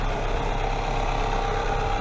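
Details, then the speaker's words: 1996-2000 Toyota RAV4 3S-FE idling after welding the exhaust leak: smooth, even idle with a steady low rumble, much quieter, no puffing or ticking; exhaust leak fixed, normal idle. "so here's the after sound of what it sounds like much quieter a little bit why it as a cat pretty quiet night"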